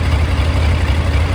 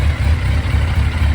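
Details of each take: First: 2001 Yamaha FZ1 four-cylinder, warm idle after carburetor rebuild and synchronization: smooth even low burble with steady beat, no misses or hunting; carbs balanced. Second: 2001 Yamaha FZ1 after carburetor rebuild, warm idle, choke off: lumpy, uneven low thrum; intake vacuums unequal (cylinder 1 about 22, 2 a little over 24, 3 around 24, 4 slightly lower), carbs need synchronizing.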